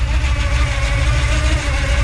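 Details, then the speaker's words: 1970 Chevrolet Monte Carlo, 350 V8 with headers and new Flowmaster dual exhaust, automatic: deep, lumpy, steady idle with a faint whir from the front gear drive; no lifter noise and no exhaust leak heard. "no lifter noise I don't hear an exhaust leak I do hear the gear drive in the front there"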